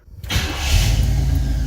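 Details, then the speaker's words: 1966 Pontiac Catalina wagon, not yet hot, in park: brief crank, then fires almost at once and settles into a steady even rumble while the IAC ramps down; normal quick start. "boy, she starts real quick now."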